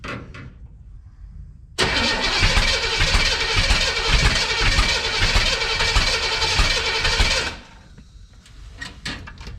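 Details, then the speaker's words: 1962 Impala 350 V8 being cranked with the distributor set too far advanced: about six seconds of loud cranking with ragged, uneven attempts to fire that never catch; hard starting from over-advanced ignition timing. "little too much timing. Sounds like we've got something going on."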